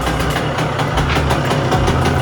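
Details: 2001 Honda CR125 two-stroke, first start and first heat cycle after a top-end rebuild and port job: idles low and lumpy with uneven firing, running rough because the spark plug fouled with assembly oil burning off; plug was swapped.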